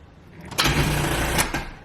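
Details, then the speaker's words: C4 Corvette after alternator replacement, dash flickering on and off: a short, labored one-second crank that fades without catching; crank no start, owner suspects the battery is still dead and needs replacing. "Nah, the battery probably still dead. Yeah, I need another battery."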